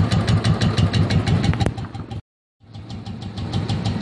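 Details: Royal Enfield single-cylinder: steady idle with a light regular tick about three times a second from the decompressor gear; abnormal-sounding but not a big issue.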